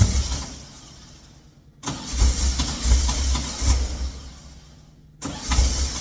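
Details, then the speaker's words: Engine cranking after a timing change: two bursts of uneven cranking with sputtering, popping firings that never catch; owner suspects timing is 180 degrees out and possibly low on fuel, plans to revert to previous setting. "Now that sounds like it's 180 out. That definitely sounds like it's 180 out."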